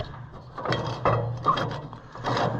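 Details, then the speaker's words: Ford Golden Jubilee NAA tractor steering box that will not steer in one direction, during disassembly: gritty crunching and rubbing as the shaft is worked by hand in the tube. Owner suspects trouble inside the tube or box; the cause is not confirmed. "There's a lot of trouble in this tube though. I can hear that from the crunching."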